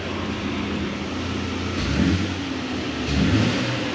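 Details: Nissan Frontier with new Overland exhaust kit and intake, unloaded; even smooth idle rumble with two quick throttle blips, deep intake growl rising each rev: healthy engine.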